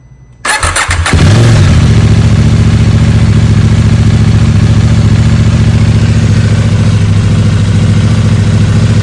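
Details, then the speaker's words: 2021 KTM Duke 890 R twin, about 4,200 miles, after replacing the noisy factory cam chain tensioner: cranks, fires and settles to a steady even idle with no ticking or rattle; sounds much better, chain kept in check. "that sounds fantastic so um solve that problem for now we'll see uh I don't think I don't think the uh the noise was necessarily anything you know that's gonna damage the engine hopefully not um but this definitely sounds better and like it's keeping the chain in check a little more"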